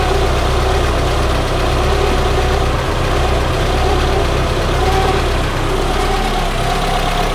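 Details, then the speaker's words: Peugeot 205 petrol engine at idle with slight fluctuations: a faint wavering, belt-like whirr over a low rumble. Soapy water on the alternator belt changed nothing, so the source is unknown. "on entend tout le temps le bruit de courroie melaku voilà elle est bien bien entendu maintenant est ce que ça pourrait venir de la cour à l'alternateur"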